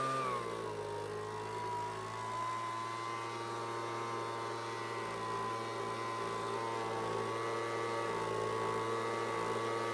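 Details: Homelite two-stroke leaf blower (high/low/off switch, no throttle): steady high buzz holding one even pitch with no surging or stumbling; running clean and healthy.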